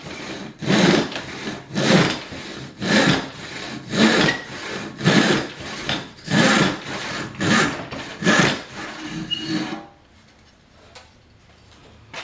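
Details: Old hand rip saw just resharpened: even, fast rasping strokes about one per second, each biting cleanly and steadily through the wood. A sharp saw cutting well.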